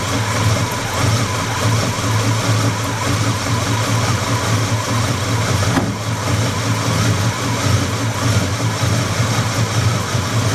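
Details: Buick 350 V8 at steady idle and rising revs: dull knock buried in the rumble that picks up with revs; engine knock, source not yet pinned.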